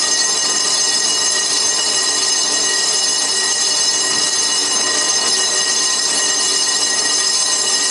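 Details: Colchester Triumph 2000 lathe at about 80 rpm skimming a slightly oval 1930s Studebaker cast-iron front brake drum in a 12" 4-jaw chuck: steady piercing bell-like ringing squeal through the cut, tool chatter with the drum itself ringing.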